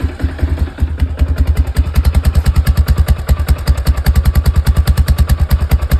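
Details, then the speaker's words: Quad after carburetor idle screw adjustment: steady, even single-cylinder thump at idle, about two and a half beats a second, no misses or clatter; running fine now. "it seems everything seems to be working fine on it now"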